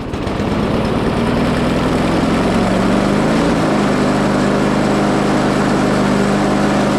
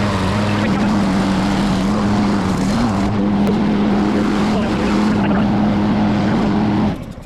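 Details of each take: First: Discarded Craftsman mower after an oil change and fitting the spark plug: the engine runs loud and rough with a heavy, violent shake from a misaligned, bent, out-of-balance blade. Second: Craftsman mower found in trash, after repair and new blade: small engine holds a steady, even hum without shaking or knocking, then shuts off; runs and cuts well despite some bent parts.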